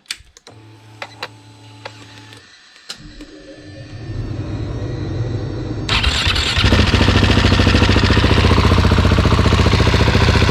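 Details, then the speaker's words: Husqvarna 701 Enduro Euro5 single after engine overhaul with new cam chain tensioner, cold start. Cranks, catches and settles into an even single-cylinder idle with clean firing and no knock; sounds healthy; normal cold start and idle. "jetzt ist das Motörchen kalt ja und jetzt starten wir mal rein gucken wir mal wie sich"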